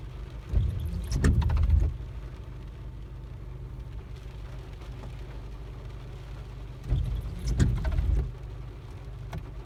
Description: After applying the rain-x on the windshield, it makes this sound when the wipers are on. The blades are new.